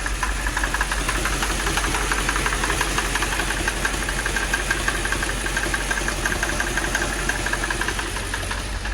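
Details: 2006 Mercedes CLS 500 at idle, running rough with two or three misfires suspected on cylinders 1, 8 and maybe 4: light fairly regular ticking knock over a rough uneven note; knock source unknown.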